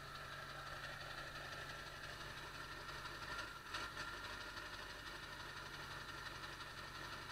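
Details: 1999 Ford F-350 Power Stroke diesel, cold start after replacing the ICP sensor; quiet, uneven idle with a brief stumble and dip then recovery; intermittent hiccup unchanged by the ICP swap, cause not pinned down.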